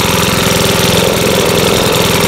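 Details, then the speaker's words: Makita BHX2500CA 4-stroke blower after oil change with new oil; fast, even buzzing beat with steady fan rush, no misses or hunting; normal idle. "so we'll do that real quick and see if it'll start up with the new oil uh let's try to do without priming"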